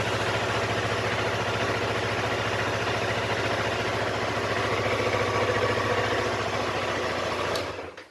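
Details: Yamaha R25/MT25 twin at idle after a no-start traced to the battery, with a loose stator-to-rectifier socket suspected of draining it; quick even idle patter at about 214 beats a minute, no misfires or rattles, then shut off.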